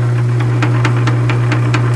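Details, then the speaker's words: South Bend 9-inch lathe in back gear after brazing repair of two broken backgear teeth, test cut in aluminum under load: steady motor hum with a sharp even click once per turn at the repaired tooth; working, not slipping, may adjust out. "is the load that will flick that you're coming around that's right where that repair is you can probably get that out of there just by adjusting a little bit but it is working is not slipping"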